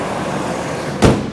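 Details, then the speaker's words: Ford Triton with aluminum heads, after repairing a blown-out spark plug thread with an insert, new plug and coil: even steady idle, popping noise gone, one thump partway. Normal idle. "now we have no more popping noise it's good for a"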